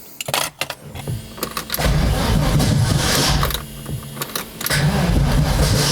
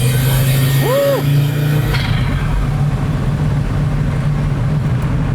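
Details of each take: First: 1983 Audi Quattro turbo 5-cylinder, first start after rebuild with new turbo, refreshed head and clutch: rough, lurching cranking with harsh clatters before it catches; ignition firing too early, fixed by retarding the timing. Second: 1983 Audi Quattro turbo five-cylinder after rebuild with new K24 turbo, refreshed head and new clutch, first drive: strong engine drone under load with quick whistle rising and falling as boost builds; turbo spools faster than before.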